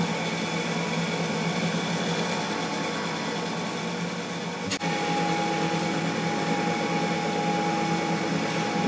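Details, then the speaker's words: Boxford lathe single-phase motor removed from the lathe for checking. Steady, even hum, then a clean single click at run-down as the centrifugal switch opens its contacts. Motor and centrifugal switch working normally. "when i switch it off after a second you'll hear the click which is the centrifugal force disconnecting the contacts inside the motor"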